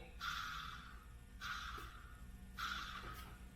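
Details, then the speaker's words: Overhead-cam engine with timing belt removed, idler pulleys hand-spun to check bearings; each spin gives a gritty rasping grind about a second long, three spins; two pulleys bad and need replacing, one fine. "bad pulley that's the only good one so this pulleys fine these two are bad they would need to be replaced"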